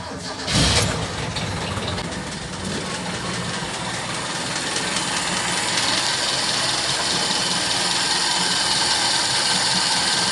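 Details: Toyota K-series engine on its old 3K carburetor, last run before swapping to a 4K carburetor: cranks, catches at once and settles into a smooth, even idle with no misses or knocks. Good idle and acceleration, only lacking performance; normal idle.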